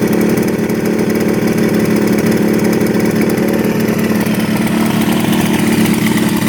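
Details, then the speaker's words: 1975 Yamaha RD200 two-stroke twin, first start after 20+ years in a barn: fast, steady buzz idling right at about 2,000 rpm with even pitch, no stumbles; both cylinders running and oiling, only issue a leaking petcock; normal idle. "idling right at two 2 000 RPMs wow sounds amazing first start idles perfectly"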